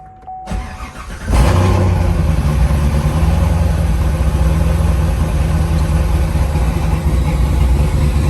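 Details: C7 Corvette V8 (2014-2019) fired up after replacing a heater hose assembly whose flattened O-ring leaked coolant at the AC compressor connector; quick crank, catches at once, settles to a deep, even idle with no misses or knocks.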